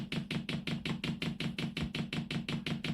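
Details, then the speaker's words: 8 kW 12 V Chinese diesel air heater powered from an adjustable bench supply set to 12 V: the dosing pump ticks steadily at about three crisp clicks a second while priming diesel to the unit. Normal priming. "i'm now priming up the pump as you can hear it clicking away"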